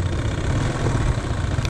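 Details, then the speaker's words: Motorcycle after a tune-up and tensioner replacement: the clatter is gone, but a steady, low, uneven idle still carries a rough knock deep inside the engine, not the belt side. Suspected connecting rod or bearing. "Nawala na yung kalansing niya, pero yung tunog nasa loob pa rin. Connecting rod daw."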